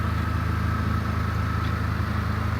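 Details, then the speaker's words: 1989 Honda CRX during front-end collision repair with new radiator: steady even idle, smooth low hum, no ticks, knocks or hunting; running well, normal idle. "the car is running. Sounds like it's running really well."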